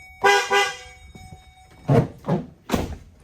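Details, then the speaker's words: 2008 Chevy Duramax after replacement: new horns mounted in a new spot on a new bracket and wired up. Two short, clear, steady toots with a full tone and no rasp or fade; it sounds better than the old horn. "New horns in the new spot, new bracket, wired up. See if it sounds like crap or not. Yeah, it sounds better."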